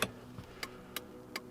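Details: 2004 Toyota Corolla with front LED turn signals, after replacing the stock flasher with an LED flasher: crisp, steady, even click-clack about one beat every third of a second. This is a normal turn signal flash rate, no more hyperflash.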